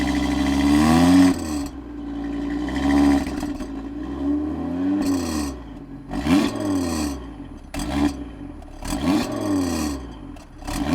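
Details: Audi TT RS / RS3, left-hand exhaust flap valve, heard on revving: engine blips rise and fall with a light metallic clatter over the exhaust note. This is the loose, rattling exhaust valve.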